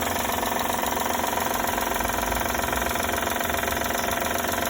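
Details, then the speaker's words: 2012 Honda Odyssey at idle: fast even ticking rattle, about 220 per minute, over engine, characteristic of these engines; oil found leaking; leaking hydraulic timing belt tensioner. "Bueno, esto es una Honda Odyssey 2012. Tenemos un ruido muy característico estos motores."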